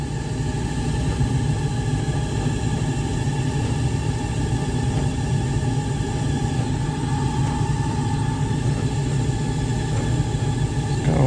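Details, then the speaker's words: 12–13-year-old LG DLEX8000V electric dryer running after heater element replacement, with warm air coming out. Constant deep rumble with a faint, even whirring; the owner suspects the drum's roller wheels but is unsure. "a little bit of a sound to her, but I don't know if that's just I don't know if that's those little roller wheels on the drum or what, but you can hear it."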